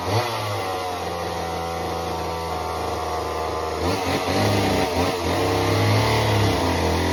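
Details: Homelite Super Mini chainsaw that previously wouldn't run, rev or idle, after repair: a steady two-stroke buzz bogs slightly and recovers as it bites a big log. Clean, even running under load.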